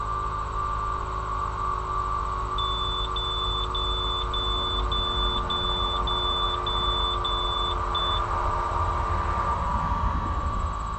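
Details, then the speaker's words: VT365 diesel bus engine with crank-no-start, grounds cleaned and new starter fitted: a steady light tick about twice a second over a low hum before cranking; owner suspects hydraulic brakes, source unconfirmed. "I think that ticken the hydraulic brakes I think"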